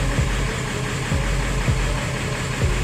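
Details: 7.3L OBS diesel after injector O-ring replacement (oil had been getting into the fuel): steady, even diesel clatter at idle with no misses or knocks. A little smoke comes from residual oil burning off in the cylinders; otherwise it runs normally.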